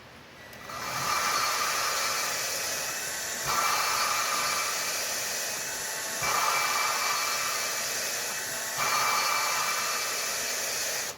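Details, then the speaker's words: Honda Accord replacement JDM engine, drill-driven valve lapping with compound: gritty grinding whir swells, then smooths and quiets as compound is pushed off the seat, until the valve is pushed out and back in. "See how it's it's grinding and then it smooths out? You don't hear it grinding anymore."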